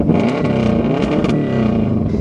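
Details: Subaru in deep snow, last run at the wood-cutting session, winter cold start: turns over and catches at once, then holds a steady, even drone with a slight rev; started easily, clean cold start.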